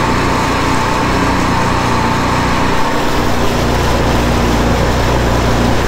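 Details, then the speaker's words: 2009 Sea-Doo Speedster 150 after intercooler, oil and filter replacement, during boil-out procedure, engine at 171° and zero faults: steady even drone with faint constant whine, no knocks or surges; normal running. "We're at 171° for the engine and still zero faults. So, we're just going to keep on monitoring it."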